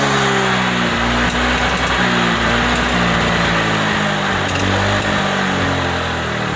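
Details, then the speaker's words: Honda Vario 125 scooter with white smoke turning black: uneven, stumbling idle with irregular dropouts and a lumpy beat; misfire resembling a fouled spark plug causing unstable ignition. "Oke ya, untuk motornya ini berebet ya, berebetnya itu sepertinya mirip dengan busi yang kotor ya, busi kotor seperti mau mati begitu, jadinya berebet."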